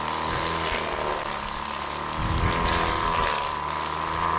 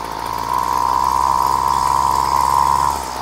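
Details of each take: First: Old two-stroke Flymo Maxi Trim petrol strimmer after carburettor clean and a homemade Scotch-Brite air filter: a high, steady buzz held at full revs while cutting thick growth, no stumbling or cutting out; running normally. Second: Flymo Maxi Trim two-stroke pull-start strimmer, choke backed off slightly: revs up and settles with a loose, burbling note and a steady high tone; mixture running rich.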